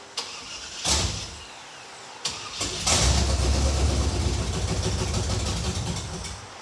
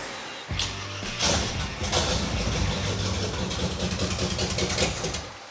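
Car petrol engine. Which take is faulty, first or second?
first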